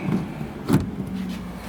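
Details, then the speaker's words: Dometic CFX 40W 12V fridge in a Toyota 4Runner, first plug test on newly wired dedicated 10AWG marine outlet after rear 12V outlet failed to power it; soft thump then faint steady low hum as compressor starts and runs normally. "Oh, it looks like it is on. You can't see the green LED, but I can hear the compressor, which is good."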